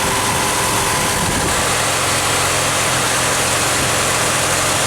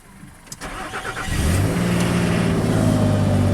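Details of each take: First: 2006 Nissan Pathfinder idling: loud steady rush of radiator fans on full as wiggling the coolant temperature sensor wiring gives a false hot reading, gauge stuck at H. Faulty sensor wiring or connection. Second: 2006 Nissan Pathfinder with hard-start and overheat complaints, cold start below freezing with coolant temperature sensor reading 32°F: short crank, catches at once and settles to even idle. Normal start, sensor seemingly reading correctly; coolant hose still broken.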